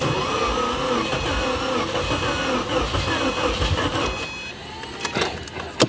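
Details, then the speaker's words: 2008 Subaru WRX bought as dead, first start attempt: uneven, labouring crank for about four seconds, never fires, ends with clicks; owner suspects low compression, possibly fuel or spark. "First attempt at starting. That sounds kind of like low compression, maybe."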